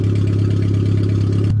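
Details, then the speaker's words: Suzuki Swift 1.3 small petrol engine on a makeshift fuel system, just started and firing up great this year: steady, even low hum with a smooth unchanging beat, no knocks or misses; normal, settled idle. "Works perfect. This thing fired up great this year."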